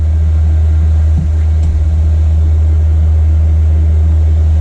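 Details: Newly installed 5 kW motorhome diesel heater, warmed up on its high setting and running on ordinary diesel: a deep, even, steady blower hum with no pump clicking coming through. The heater is running normally.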